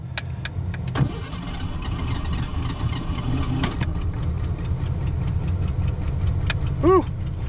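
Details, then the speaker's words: 1989 Ford Ranger cold start at −1 °F: a long, laboured crank that stumbles before catching, then a rough, uneven low rumble settling toward idle. It dislikes throttle and pops back through the intake; the owner suspects the timing is slightly off. Hard cold start. "doesn't like it but but it's doing it who doesn't like me to give it any gas that's for sure"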